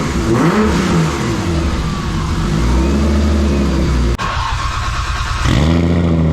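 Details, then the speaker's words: Nissan R32 Skyline after fitting a Kinsler cam-driven mechanical fuel pump, a Radium external FCST and a cam trigger, with timing set: crisp revs rise and fall, then settle to an even idle with no stumble; it runs normally. "uh wow we got the car started up uh set the timing and she's running great"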